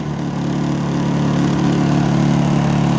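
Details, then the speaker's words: Honda generator, economy throttle off, driving a water pump: steady engine drone with firm low throb settling slightly heavier as the pump load comes on; holds speed well under load. "Now if we take the economy throttle off, you'll hear it rev up. And then you'll probably hear the load when the pump starts."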